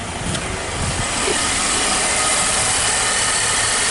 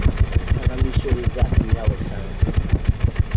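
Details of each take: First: 2014 Nissan X-Trail T32 after replacing an incorrect, leaking number-one coil and its plug that caused random misfires and rough idle; it now idles evenly with a smooth hum and no skips, running cleanly on all cylinders. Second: 2014 Nissan X-Trail T32, rough idle, loss of power and vibration with no check engine light; mic at the tailpipe: uneven idle puffs, about three a second with dropped beats, a steady dead misfire.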